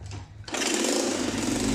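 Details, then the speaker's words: Motorcycle single-cylinder engine after head refit, previously making a piston-like rattle: quick, even patter with no ticking or knocking; runs normally, exhaust leak at a welded section remains. "pero de motor ya escucha bien parejitos nada de ruido extraño"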